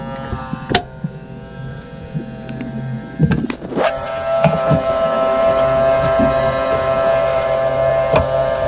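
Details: Boat starboard bilge pump after rewiring, float switch clicking: a switch clicks, then a steady, even electric buzz holds with no change in load; the pump motor runs but moves no water. Cause suspected, not confirmed.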